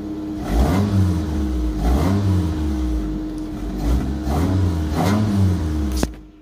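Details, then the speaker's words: 1997 Mitsubishi Mirage 1.8 petrol engine after replacing fried coil pack: blips up and settles back cleanly several times, no stumble, break-up or hiccups. "it sounds much better no break up on it starting straight-through revs not really give me any hiccups"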